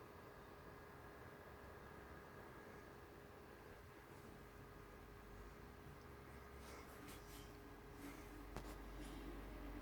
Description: I just purchased this PS4 yesterday, it was the BO3 bundle 500gb console and it has been making a faint static/buzzing noise and gets louder when I load up BO3.